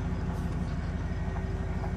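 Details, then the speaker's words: 2500 Silverado 8.1 L Vortec V8 with Allison transmission, towing a boat and lugging at low speed after replacing spark plugs, coils and wires: smooth, even pull with no hesitation or dropped cylinder; misfire fixed. "okay no hesitation i don't feel any missing or losing any cylinder come back again stopping to make it difficult good response"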